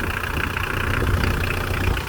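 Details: Mitsubishi L200 turbo diesel, idling cold before warm-up and a test drive, after fitting a new variable geometry turbo solenoid for an overboost issue. A deep, steady throb with no knocks, whistles or hunting. Normal idle.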